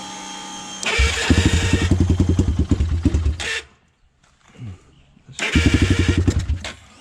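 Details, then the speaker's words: Honda 400EX ATV, first start after rebuild, after adjusting the idle screw: quick even pops, a brief stall and restart. No bottom-end knock or valve-train noise, though the owner says the carburetor still needs work. "yeah it sounds like the bottom end is okay i mean i didn't hear any knocking or anything i didn't hear any valve train noise or anything unusual"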